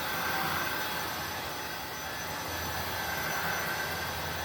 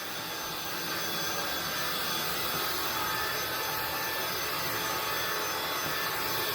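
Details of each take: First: INSE V120 cordless stick vacuum in medium default mode, battery at 15% with red indicator: motor whine eases down in pitch as speed drops toward low by itself. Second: INSE V120 cordless stick vacuum, battery around 80%, crossing hallway and metal grates: smooth, even rushing airflow with no screech or high-pitched whine; motor sounds healthy and not very loud.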